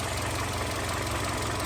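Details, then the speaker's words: Hyundai Sonata LPI that started, ran 3 seconds and stalled; a water-damaged control unit was found and resoldered: now a steady, even idle with a low smooth hum and no misses, knocks or hunting. "так ну двигун у нас працює"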